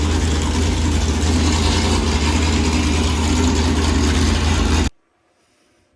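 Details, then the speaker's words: Built small-block engine that came with newly bought race car, first run: loud, lumpy idle with uneven pitter-patter about four beats a second, sounds like a John Deere tractor; running rough, cause unclear, needs upgrades. "i'll at least let you hear it run and it sounds like a tractor not so much like a case more like a john deere a little pitter patter"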